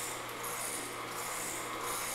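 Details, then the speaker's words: Omega VRT 330 HD slow juicer rated at 80 RPM: soft even rubbing hiss, quieter than the 40 RPM JuicePresso with no constant gear whine; normal running. "It's a little bit more quiet, and you don't hear that constant gear noise sound, so it's kind of nice."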